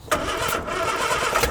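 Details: Morris Minor stored 21 years, fuel pump not operating so the carburettor float is filled by hand: sudden catch, the engine fires into a steady, lumpy rumble before it is put in gear and driven forward.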